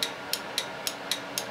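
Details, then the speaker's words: Small 30 A automotive relay on a 12 V DC supply (just over 12 V measured), trigger coil terminals 85 and 86 energized: sharp, crisp clicks about every quarter second as the contact pulls in and drops out; normal, healthy relay switching. "hear the contact wire being pulled in a place and dropped out of place same thing than this five pin"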